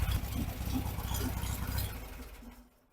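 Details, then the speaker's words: 1974 VW Beetle SunBug engine at idle: uneven, loping low chop rather than a purr, fading away. Lumpy idle from the performance camshaft, not a fault. "Yeah, you can hear the cam. There's no doubt about that."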